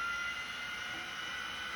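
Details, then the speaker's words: 1980s 5.25-inch vintage hard drive after passing the seek test: steady high whine above usual pitch, spindle spinning too fast; speed returns to normal when the head is moved, owner suspects a servo fault. "And yeah, it's going too fast again."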